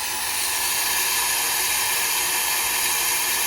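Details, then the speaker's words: Fleck 5600SXT water softener in the brine draw step, with the cam depressing the brine draw piston: a steady, even hiss of water drawn through the valve from the brine tank, with no gurgling or air sucking. Normal; the step is set for 1 hour. "and you can hear now it is drawing up the brine from the brine tank, and if you feel the hose you can feel that it's actually doing something."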